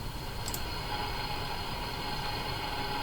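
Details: General Electric KL60 tube radio after alignment, sensitivity check on a shortwave band tuned out of band: steady static hiss with a thin constant whistle and no station; band noise of unknown source.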